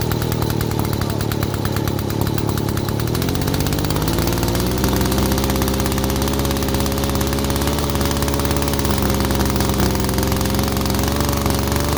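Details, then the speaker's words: 1947 Mall 6 ft two-stroke chainsaw, first start in over 40 years after barn storage: buzz picks up at around three seconds, then holds a strong, even idle note without stumbling; running healthy. "so we got a running machine at idles now too so that's cool"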